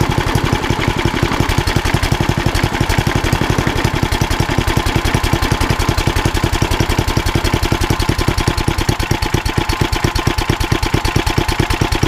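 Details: Old rusty Tecumseh 10 hp HM100 single-cylinder engine at idle after a genuine Tecumseh carburetor replaced a knock-off one (knock-off carb or its corrosion blamed), muffler refitted: rapid, even exhaust putter holding a steady beat; runs beautifully.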